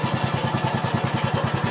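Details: Old carbureted Honda Beat scooter, after fixing the electric starter that would not work: crisp, regular single-cylinder putter of about eight beats a second, holding steady without stumbling. Clean idle.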